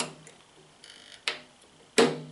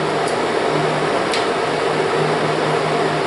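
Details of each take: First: Kodak Showtime 8 film projector switching forward/reverse: quiet whirring, then two sharp clunks about 0.7 s apart as the drive couples; engagement knock, owner thinks more frequent use may reduce it. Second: Kodak Showtime 8 film projector running film forward: steady motor hum with soft, even mechanical whir, no grinding or catching; normal running.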